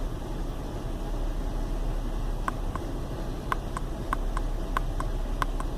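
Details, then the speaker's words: Chevy Venture warmed up about four to five minutes on a cool day, no check-engine light: low, uneven rumble at idle with a few sharp ticks over it; rough idle caused by a failed hydraulic motor mount, with no thunk when shifted into gear. "but you can probably hear it's got a kind of a rumble to it it's definitely not running too smooth"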